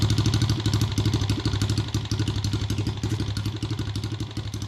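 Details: Chinese no-name pit bike with swapped 125cc engine, after new cylinder and piston to cure heavy smoking: quick, even thumping idle about three beats a second, light valve chatter, no misfires; healthy.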